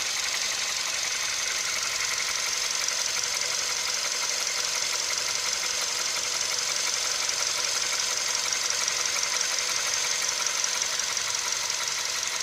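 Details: CFNA engine at operating temperature, hot idle: fairly regular light tapping about two a second riding over the running engine; knock appearing when hot, cause unknown.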